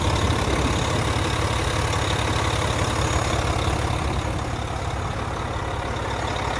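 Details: 2014 Volvo VNL day cab with a D13 diesel and 13-speed manual, 600-something thousand miles, oil filler cap off. Deep, even idle at about three beats per second with steady clatter, no misses or knocks; normal healthy runner.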